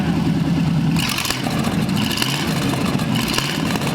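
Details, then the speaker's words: Abandoned Cadillac 331 V8 on a stand, fed from a small fuel tank after plug, wire and points work: revs up cleanly with a steady deep exhaust note and pulls evenly; runs well, with the old carburetor working fine. "so it actually ran really well i was impressed with how well that carburetor worked"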